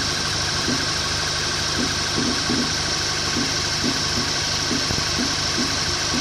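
At idle a dull knock taps roughly twice a second over a steady engine hum; cause of the knock unknown.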